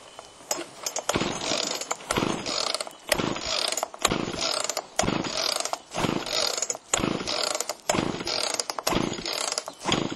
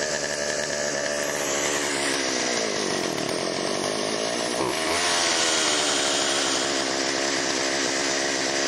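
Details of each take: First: Chainsaw after Texas ice storm, choke on, carb low and high screws untouched: repeated pull-cord rasps about once a second, never fires though feels like trying; spark later confirmed, compression next to check. Cranks but won't start. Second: Chainsaw after Texas ice storm, refueled, priming squirt into cylinder via spark plug hole: crisp two-stroke buzz revs cleanly and holds steady high note; runs well, could be fine-tuned but ready to go.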